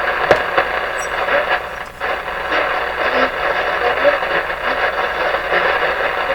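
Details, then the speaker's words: Westinghouse 981X shortwave receiver after output transformer replacement, on an upper shortwave band: loud rough crackling hiss with garbled fragments at barely any volume; excessive noise and gain, more work needed. "that's pretty crazy sounding let's see how crazy it is up here now if i hardly turn the volume up and it's all there"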